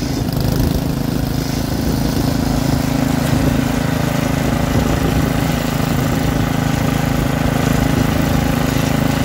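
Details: Troy-Bilt rear-tine rototiller, small single-cylinder engine, after carburetor cleaning and magneto cleaning restored lost spark and carb adjustment: runs smooth and even at a steady fast idle, no misfires or hunting; sounds healthy.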